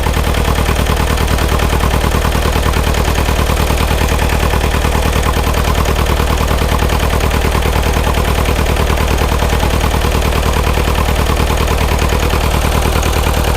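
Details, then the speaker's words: Cold Bobcat T595 diesel, just coming to life after a frozen no-start: hard, chugging knock at about three beats a second with smoke; it is misfiring, running on only about two to three cylinders. "We really shouldn't see any smoke coming out of it, but it's only running on 1 or 2 cylinders at the moment. Maybe 3."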